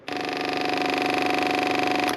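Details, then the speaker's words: Project motorcycle being revived, powered by a borrowed battery wired in. With the ignition on and neutral showing, the fuel pump gives a steady two-second high buzz that starts and stops cleanly. This is normal fuel pump priming before fuel reaches the carbs. "we can hear the full fuel pump priming. And if we set the bike to start, it takes over, which is a fan-dabby-fucking-dozy."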